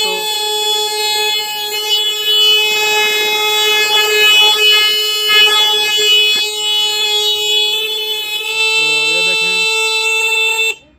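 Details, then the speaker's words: Motorcycle horn being repaired by adjusting its tightening screw: one loud, steady, clear note held about ten seconds without buzzing or dropping out; the horn now sounds properly. "ये देखें दोस्तों, इसने आवाज़ देना शुरू कर दी है। अब फिर हम इसकी थोड़ी सी एडजस्टमेंट करेंगे। थोड़ा टाइट करके देख लेंगे। थोड़ी थोड़ी आवाज़ बढ़नी शुरू हो गई है।"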